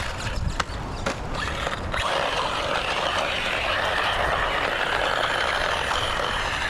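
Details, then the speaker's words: A gritty, rasping whir over the motor of an RC truck (Mojave Grom 223s), apparently from dogbone driveshaft pins slipping in the drive cup. The shaft still turns but seems not to drive properly, possibly leaving it three-wheel drive. "I think that grinding is the the pins slipping in the cup. I think it's staying in place, but it's slipping."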